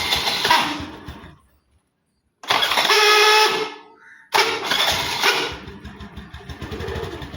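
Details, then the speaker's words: TVS Scooty Pep that failed overnight and won't start: rough grinding whirr in short bursts each time the starter is pressed, no catch; a worn part inside the starter motor. "இது என்ன ப்ராப்ளம்னா self மோட்டரோட உள்ள இருக்கற இது போயிட்டு இருக்கும். அதனாலதான் இந்த மாதிரி சவுண்ட் வரும்."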